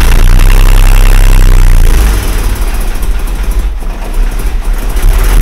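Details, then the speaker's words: Mercedes W126 idle after blanking a suspected air-leak channel with a plug: deep steady drone turns rough and uneven, note changed because a vacuum line was left disconnected during reassembly; vacuum leak. "собираем где-то я забыл прицепить что ли по-другому звук стал да забыл прикрутить на вакуум"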